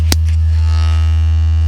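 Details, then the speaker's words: 2021 Toyota Avalon with upgraded JBL system, after sound-deadening treatment for rattles: a steady deep 80 Hz test tone plays cleanly, and the buzzing previously heard, including in the rear, is now gone. "hear that but and now you can't right and then you could also hear it really prominent in the back and now you can't"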